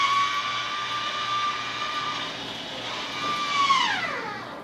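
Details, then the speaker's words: Maxxair 7500K roof fan bench-tested on a battery box before installation in a 2018 Mercedes 4x4 144WB van: steady airy whoosh with a faint even tone, pitch sliding down as it winds off; fan works, normal operation. "we have a working fan."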